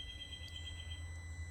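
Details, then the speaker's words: Holden VE Commodore just switched off after an oil-flush run: with the engine off, a faint high electric buzz over a low hum as the electronic throttle actuator closes the butterfly ready for start-up; normal. "so what you were hearing just then was your electronic actuator adjusting your butterfly ready for start up"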